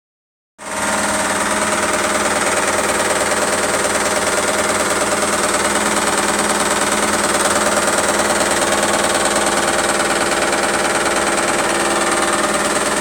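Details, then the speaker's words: ISE W1607W washing machine on high spin: fast, steady heavy thumping about three a second over the spin roar, which disappears at a certain spin rate. The owner suspects the casing is banging against something; this is unconfirmed. "Completely disappeared at a certain spin rate, isn't it? Yeah, it's to do with it allowing it out. It's basically banging against something."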